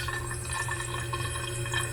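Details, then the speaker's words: A pipe keeps making a steady rushing hiss of flowing water even with its valve locked off tight. The owner asks where the water is going, and the cause is unclear. "It's all tight, tight. But when you lock it off tight, it makes noise. Where's the water going?"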